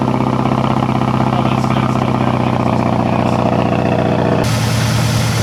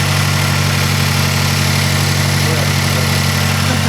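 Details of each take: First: 2006 Mazdaspeed 6 started after a spark plug replacement: lumpy, uneven idle with skipped beats. The misfire persists, and a bad coil pack is suspected of also having ruined the plug. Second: 2006 Mazdaspeed 6 after replacing a faulty coil pack that caused a misfire: steady even idle with smooth low pulse, no stumble or skip; running cleanly.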